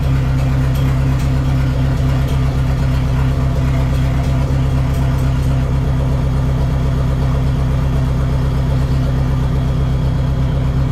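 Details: Neon SRT-4 first start after clutch master cylinder replacement and new plugs gapped at .032: catches and settles into a steady, deep idle with an even low rumble and no knocks or misses; normal idle, clutch still needs more bleeding.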